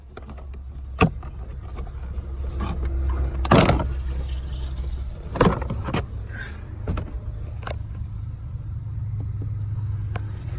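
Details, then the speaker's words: 2003 Honda Civic blower motor fan, passenger side under the glove compartment, with AC or heat on: steady low hum broken by sharp irregular clicks and rattles from debris in the fan; fixed by removing debris and cleaning. "turn on and then turn on the AC or the heat the globe motor fan like that sound they made like some things up in that Sam so you have to pick the thing out and clean it"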